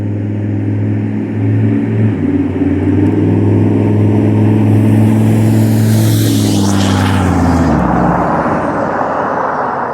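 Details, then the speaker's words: 6.5L turbo diesel pickup with straight-piped exhaust, rolling test after replacing passenger-side exhaust manifold gasket: loud, clean drone rising with road speed, then wind rush; no ticking or puffing from the manifold, exhaust sealed and normal. "so as you can probably imagine that definitely took care of that little uh ticking exhausts escaping the manifold sound so so my exhaust is back to being as loud as it should be"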